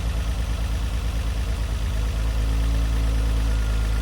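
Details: Renault Alpine GTA Turbo, revived after years in storage: low uneven vibrating idle settles smoother after 12 volts applied directly to wake a fuel injector; misfire apparently from the injector clearing, revs better afterwards.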